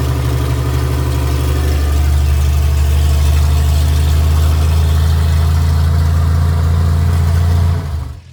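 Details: 1982 Toyota FJ45 pickup, freshly rebuilt 1977 2F engine (new rings, bearings, shaved head, new carb, headers) with an H55F 5-speed, on its first test drive after a 15-minute run with minor coolant leaks; steady drone pulls cleanly under load and backs off smoothly; running normally.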